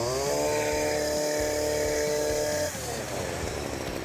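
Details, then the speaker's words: STIHL FS40C trimmer after fixing a gas leak from a failed tank vent and tweaking the carburetor adjustment: high buzzing rev drops cleanly to an even two-stroke idle without stalling or hunting; a carb clean or new carburetor may still be recommended. "got her up and running and returning to a nice idle. It's on and working, and that's really all the guy asked for."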